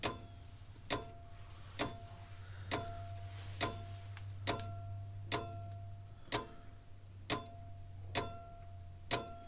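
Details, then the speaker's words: Old Sears mechanical electric fence charger on battery: sharp clicks about once a second, slightly uneven and slow; interrupter not moving as it should, owner suspects worn spring or dirty contacts. "not moving the greatest of like how it should that spring's probably worn a little bit"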